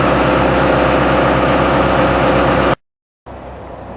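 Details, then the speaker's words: TDME-490 marine diesel newly installed in place of a 4Ch engine on a motorboat, no soundproofing fitted, revs raised from idle to about 1000 rpm: even, steady beat with no knocks or misses; sounds healthy. "Сейчас мы добавим немножко оборотов. Доведем обороты до 1000."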